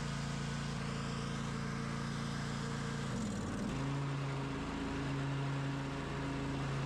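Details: Craftsman DLT 2000 riding mower with blown Kohler Pro 20 V-twin replaced by Harbor Freight Predator 708cc engine, after rewiring: runs on the switch with a steady drone, settling to a slightly higher even tone partway through; healthy running.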